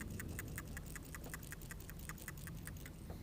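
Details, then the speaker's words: New Carquest Premium PCV valve (PCA1056) for a 2014 Nissan Frontier 4.0L V6, shaken by hand: crisp, even ticking of about 2.5 clicks per second, check ball moving freely; the old clogged valve barely rattled. "that's the part number so this is the new one listen to the difference"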